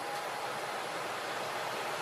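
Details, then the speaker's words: Trane furnace/AC unit after owner replaced parts himself, power restored and control board lights blinking: steady rush of air with faint hum, no rubbing, squeal or surging; normal blower motor running. "so I know the board's working I see the lights blinking in here there we go I hear it motors working"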